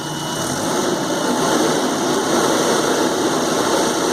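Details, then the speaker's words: Nissan forklift engine after clearing code E-24 accelerator fault: steady, even idle hum with no stumbling, surging or odd noises; good response, considered fixed. "Got a good response from the engine. Alright, I would call this one a fix."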